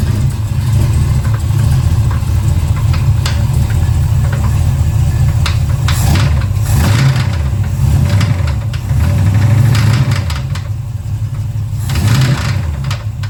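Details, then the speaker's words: 1970 Chevelle after big block swap, water found in the engine, then fresh oil change; big V8 idles and blips with uneven heavy knock persisting as revs change; owner plans checking flex plate and torque converter bolts. "Well, based on that sound, I'm kind of dead in the water here."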